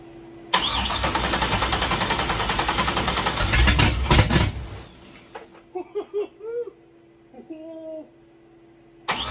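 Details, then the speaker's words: Engine first start after disabling GM VATS anti-theft via a tune, no radiator fitted, starting jerry-rigged without a key: catches at once, runs rough about four seconds with a surge, then stalls; possibly the immobilizer cutting the engine. "It wants to go. I'm gonna look through the instructions on the wiring harness. It did say something in there about if it starts and then stalls immediately."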